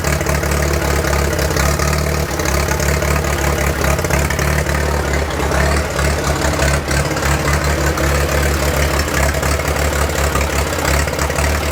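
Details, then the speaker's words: 1943 Case SC tractor, revived after years of sitting, battery weakening: steady low, uneven idle with slightly ragged beat, no clear regular miss; runs rough after a little throttle, owner suspects fuel mixture over a miss; carburetor untuned. "I gave it a little bit of throttle and she stayed running sounds a little rough I'm not sure if I got a miss or if it's just fuel mixture my feeling is its fuel mixture"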